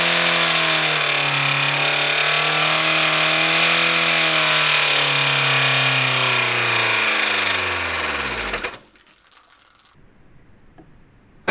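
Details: Car engine run deliberately with no oil, sump removed and crank bearings degreased and assembled dry: harsh metallic hammering at high revs that sags in pitch as the engine dies within seconds. Bearing knock from oil starvation, though the bearings looked surprisingly intact afterward.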